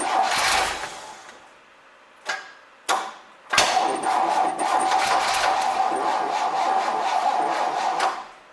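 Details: 1966 Chevrolet C20, Chevy 292 six, first start attempt with carb idle mixture screw 1.5 turns out: two cranks fail to catch, then it runs rough about four seconds and dies. Owner suspects distributor too far advanced. Hard starting.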